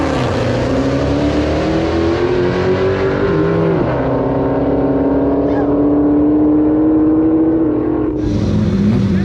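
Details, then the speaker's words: Whine while driving a turbo Honda: a steady whine under the engine noise that rises and falls with road speed; the owner suspects the differential, not confirmed. "hey hey I don't know if you guys can hear it but the whining noise sounds like it's coming from the diff"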